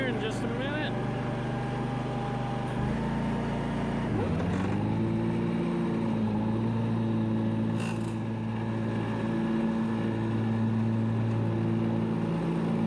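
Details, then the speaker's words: ZG222 zero-turn mower, PTO engaged: engine drone with steady hum dipping and settling as blades engage; nasty abnormal mower deck noise, unexplained, blades to be removed. "that doesn't sound good well it looks like we've gotta take these blades off um had quite a nasty sound hear that"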